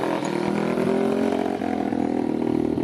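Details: 2021 Apollo RFZ 125 dirt bike, sat for months, with new carburetor, exhaust and filter, first test run: single-cylinder running steadily with crisp even exhaust beat and smooth throttle response; runs healthy.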